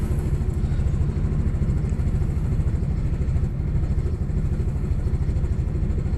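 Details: Audi B5 S4 cold start misfire: loud low idle with an uneven, stumbling beat that keeps breaking rhythm, cold engine missing on a cylinder; cause suspected, not confirmed.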